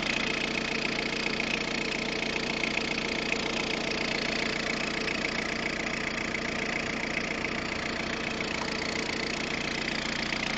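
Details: Peugeot 106 1.5 diesel (11/2002), 130,000 km, timing belt done at 73,000 km, idling: even ticking clatter about two or three a second over the engine; cause unclear.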